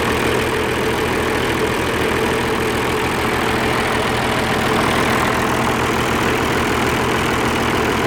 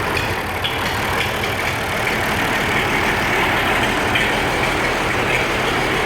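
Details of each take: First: Oliver 1550 diesel tractor in neutral after injector work: even idle with regular firing beat, no misses or knocks; energy cell warming, exhaust clearing, running smoothly. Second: Old Oliver 1550 diesel tractor, cold day, in neutral, after injector rebuild and valve adjustment: loping, uneven idle under steady clatter; number one energy cell not warming like number six, number one injector suspected still faulty, one cylinder dropping out.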